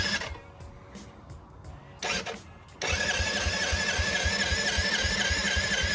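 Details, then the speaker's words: 1986 Yamaha quad, engine just unstuck, new battery, fresh fuel in cleaned tank: steady cranking about four beats a second, never catches; cranks but won't start, owner suspects the long-unused carburettor. "the quad didn't start last night from a big advantage the carburetor business thing sack for years and it was made in 1986 so the carburetors probably shot"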